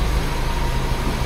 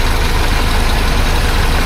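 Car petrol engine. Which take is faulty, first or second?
second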